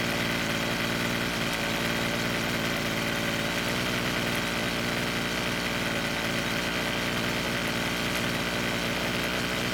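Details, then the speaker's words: Rebuilt Weed Eater two-stroke trimmer, after L screw turned a quarter turn counterclockwise to richen idle; holds a steady buzzing idle without sagging or dying; stable idle, mixture now right. "well we got it to idle a lot longer this time which meant that adding fuel at idle speed worked great"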